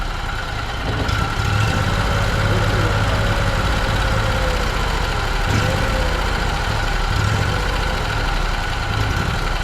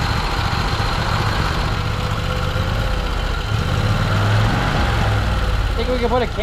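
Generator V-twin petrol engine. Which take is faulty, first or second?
second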